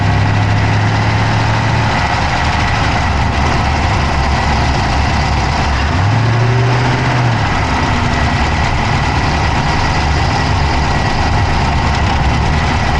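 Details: Dodge Charger Hemi V8 at steady idle, recorded inside the engine bay on the passenger side with an Insta360 Go3: a quick, light tick rides on top and keeps pace with the engine; a fast tick at idle, source undetermined.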